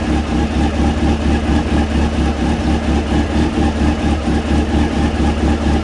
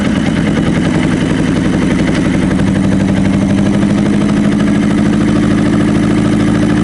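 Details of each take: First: Honda CB600F, about 26,000 miles, after work on a misfire on cylinder two, started cold with tank temporarily refitted and air filter off: smooth, even low burble at idle with a steady pulse and no stumbles; all four cylinders firing cleanly. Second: Honda CB600F, about 26,000 miles, misfiring on cylinder two, running only with the throttle mostly open, choke on and brake cleaner: a rough, lumpy drone with an uneven beat.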